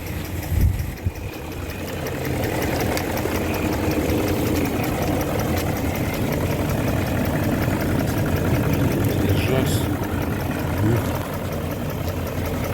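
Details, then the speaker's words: BMW E38 735i petrol that sat by a fence for many years, just started: a smooth, steady idle with a settled low hum and no knocks or misses. It sounds as it did when driven, with no exhaust smoke. "Kā rūca, tā rūca. Kā toreiz, kad braukāja, vēl tāpat arī skan."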